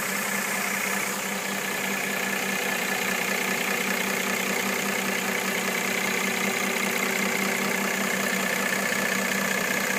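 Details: 2013 Mercedes-Benz E350 petrol engine idling steadily with a light, fairly regular knock of about two to three beats per second.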